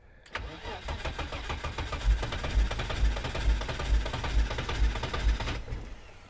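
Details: 1987 BMW E30 325i on fresh fuel, trying its first start in a long time. The starter turns over evenly at about two turns a second and the engine catches weakly but never picks up; cranks, won't start.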